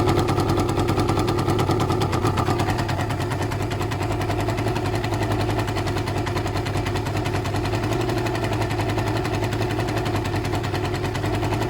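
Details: Suzuki ZL600 Eliminator at idle without choke, after carb work: a sharp, rapid puffing tick rides over the exhaust note at every firing, and an air leak is spotted at the exhaust pipes. Exhaust leak.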